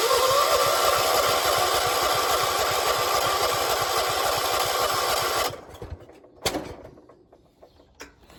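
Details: 1976 John Deere 300 with a nearly dead battery being jumped, fuel present: starter churns steadily about 3.5 turns per second for five seconds without firing, then stops. Cranks but won't start.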